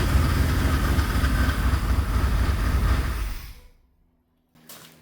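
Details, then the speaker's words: OBS Chevy GMT400 truck revived after sitting, first start after fixing spark plug wires one position off on distributor cap: rough, heavy running with a steady rattle about four times a second from the front, seemingly not engine noise; cooling fan hitting its shroud. "But honestly it sounded like it sounded like the sound was coming from the front here. Um like something was rattling. It didn't really sound like I don't know. It didn't really sound like engine noise."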